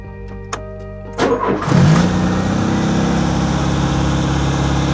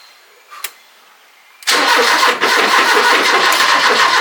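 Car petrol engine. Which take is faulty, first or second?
second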